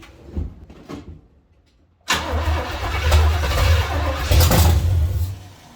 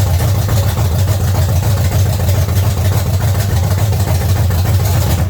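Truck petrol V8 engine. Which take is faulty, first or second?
first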